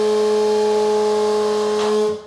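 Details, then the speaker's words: Bathroom ceiling exhaust fan with a bad motor: loud, steady whistling whine because moisture and dust have worn out the bearings; extremely noisy, so the whole fan is being replaced. "so as you can hear that exhaust fan has a bad motor the bearings have gone bad and it's extremely noisy"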